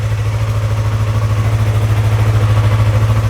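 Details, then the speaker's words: Yamaha R3 (stolen then recovered) idling on first start after engine case cover replacement, old oil still in: low, even idle, steady beat about three pulses a second, no knocks or misses; normal healthy idle. "Oh man. Listen to that baby purr. Oh yeah. Yeah, she's doing good. Looks good."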